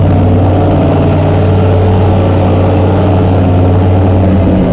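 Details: Chrysler 440 Six Pack triple two-barrel carburetor engine after replacing a damaged carb gasket near the power valve: deep, steady low rumble holding an even note; smooth, normal idle.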